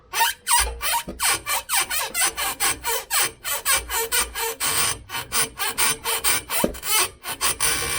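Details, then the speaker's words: Ford Cortina MK3 GXL, prop shaft rocked by hand: dry rasping squeal with each turn, about three a second, from the worn-out rear universal joint. The prop shaft itself may be okay and just need a new rear UJ. "Ah, that's where the noise is coming from. The back UJ has gone. That's the noise."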